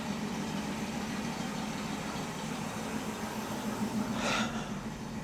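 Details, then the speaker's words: 1967 Mustang with Holley Sniper 1100 EFI, running after the fault was traced to the injector: even, settled idle with a steady low beat and no misses. AFR about 14.2, and it keeps running when given gas. Normal idle. "She's running, I know y'all can't see, but her AFR is at 14.2-ish and going around there."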